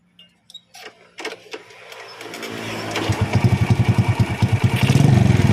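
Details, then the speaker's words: Honda Supra Fit (C70 body) with the PE28 carb swapped for a PE24, being set up: a few cranks, then it starts easily without choke and runs with an uneven lumpy pulse as revs climb; mixture still off at mid-high rpm. "There is still a discrepancy in the medium to high rotation, Bro, OK."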